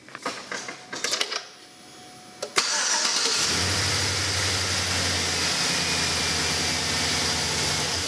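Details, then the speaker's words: Truck with 775 CCA battery, voltmeter on battery during start: a few quick clicks, a brief strong crank, then it catches and settles into a steady even idle, voltage never dropping below 10.5; normal crank and start, battery healthy. "The battery never dropped below 10.5, plus the start of the truck."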